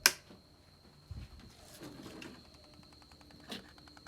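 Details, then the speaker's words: Can-Am Renegade ATV, original electric fuel pump on key-on prime: faint whine with rapid, uneven knocking ticks, sounds terrible; the fuel pump is failing and is being replaced. "You can hear it not working correctly. It sounds terrible. It's knocking almost."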